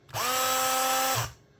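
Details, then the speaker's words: Makita 18V drill: a short burst of steady high whine that sounds slow and strained. The motor smokes and smells burnt; a melted motor is suspected, not confirmed. "So, a friend of mine um gave me his drill um and it's uh running a bit slow"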